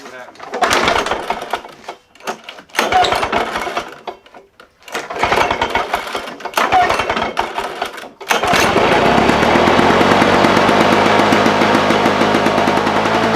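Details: Lawn Boy push mower returned again with no spark (spark comes and goes), dried off, fuel had been shut off to avoid flooding: several failed pulls with cranking bursts, then catches and settles into a steady, even run.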